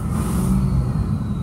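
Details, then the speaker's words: 2007 Ford F-350 dump bed truck, started with jump box, batteries dead: deep even rumble holds steady through rev, no rattles, knocks or misfires; ABS light on and odometer gauge moves when revved, possibly from dead batteries. Motor sounds good. "so that could be the reason why that ABS light is coming on and the odometer gauge is moving but the motor sounds good"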